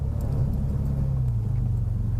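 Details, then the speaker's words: Porsche Boxster 986 idling after yearly DIY service (oil and filter, fuel filter, air filter, new spark plugs): steady even low rumble with no knocks, misses or ticks; running nice and sweet, test drive is the drive home. "Anyway, as hopefully you can hear, it seems to be running nice and sweet, and test drive is the drive home."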